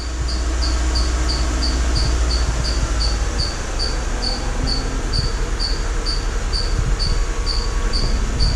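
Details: 2012 Mercedes-Benz GL450, engine running while the air suspension pump raises the car after rear air spring replacement: sharp high chirps three to four a second over steady engine rumble, from the drive belt; no air leak hissing heard.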